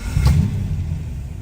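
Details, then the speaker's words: Warm 1959 Alvis TD21 Series 1 manual: a quick catch, then a smooth, even low rumble settling straight into a steady idle with no knocks or misses; a normal start and idle. "Starts nicely, settles down to a nice idle. It's running nice and warm at the moment."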